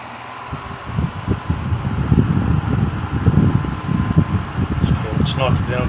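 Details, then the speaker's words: 1950s Wizard hassock fan, tested at speed: a low steady hum with an uneven rumbling flutter underneath. Bearing noise is suspected, and the fan is slightly seized on low. Cause not confirmed. "and as you can hear it does have a little noise to it sounds like bear it sounds like bearing noise"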